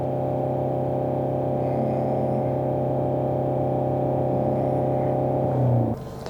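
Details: 2016 Mercedes-Benz E-Class W213, 654 diesel engine, 3,900 km, late shifting and check-engine light; after replacing turbocharger with seized, squeaking guide vanes, even diesel revving, no whistle, flutter or surge; boost now meets target values.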